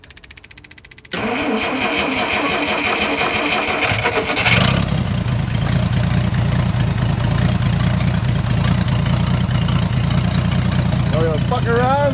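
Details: Old Dodge D300 military truck that stood about 20+ years under a tree, started after recovery. It catches after a short crank and settles into a steady, even low idle with no misses or knocks.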